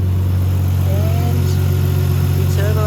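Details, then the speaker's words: Nissan R33 idling after fitting a bigger high-flowed eBay turbo, new intercooler piping and a new intake. The idle is smooth and steady with an even hum and no whistles, rattles or misses. Normal idle. "Rightio. Sounds good, looks good, feels good."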